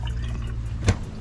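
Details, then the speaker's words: New replacement water pump under the kitchen sink of a 2021 Jayco 224 BH camper, switched on after install: low steady motor hum with one soft click, no grinding or chatter; repressurizes and shuts off, working well. "Repressurizes and shuts off when it's done. So that's working well."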